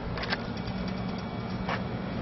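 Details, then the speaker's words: Air conditioner outdoor unit, fuse block reinserted, 246 volts measured at contactor: compressor gives a steady low electrical hum with no run-up, trying to start but stalling because its capacitor is removed. "you might hear the compressor humming trying to start but um without the capacitor it's not going to be able to"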